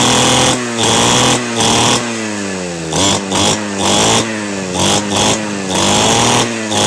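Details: Model 411 two-stroke brush cutter, stored about a year and not starting, runs after carburettor cleaning, spark plug check and refuelling: buzzy note climbs and drops with throttle blips, picking up cleanly; running normally.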